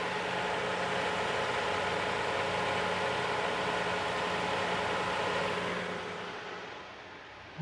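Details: 2015 Toyota Sienna AWD 3.5L on lift at about 60 km/h, checking front struts for reported 50–60 km/h bearing noise: steady drivetrain hum, faint tones, smooth whirr, no growl or rumble; front wheel bearings normal.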